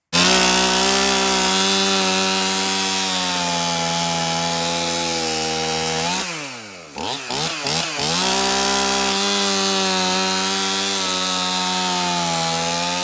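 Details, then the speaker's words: Stihl MS271 chainsaw, brought in hard to start, tested cutting at shop door with bar and chain refitted after service: crisp high-revving note dips cleanly under load and recovers fast; starts easy, runs really good. "So the MS271 runs really good, starts easy."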